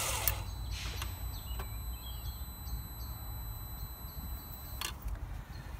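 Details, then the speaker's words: 2000 Volvo V70 2.4 petrol, one spark plug removed: cranking rhythm uneven, starter speeding up once each cycle as that cylinder has no compression; demonstrates low compression in one cylinder. "hopefully you heard that and in fact there's a little bit of like a vapor or whatever came out"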